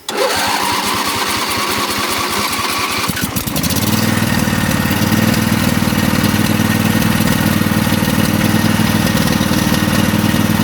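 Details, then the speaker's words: Craftsman riding mower, warm, choke on, throttle up, in neutral: cranks about three seconds, catches, then a flat, uneven buzz lacking punch. Running on one cylinder; fuel leak. "Yep, not running that good."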